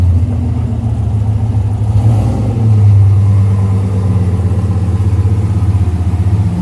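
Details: AWD turbo V8 race truck after new fuel injectors, warming up: deep, even rumble with a brief rev blip, then settles back smooth and steady; running better than ever, nearly ready for tuner/dyno.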